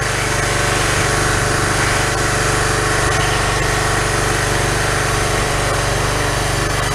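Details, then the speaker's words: Pressure washer small engine after a replacement carburettor, starting on the first pull: steady, even buzz with no surging. It runs well, though the owner feels it runs a little slow and plans to adjust it faster; the carburettor was the fault. "sounds pretty good I think I think I'm can adjust it a little bit to make the motor wrong a little bit faster inca needs to run little bit faster"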